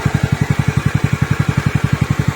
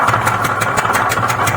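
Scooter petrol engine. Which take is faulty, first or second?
second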